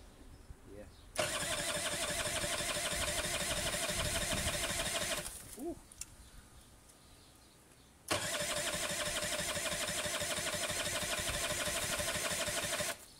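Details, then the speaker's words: Honda Nifty 50 scooter on its first start attempt after a top-end rebuild, running on a battery. Two long bursts of fast, even starter chatter at about three beats per second that never fire, because the fuel tap is still off. Cranks without starting. "we turn the fuel tap on come on"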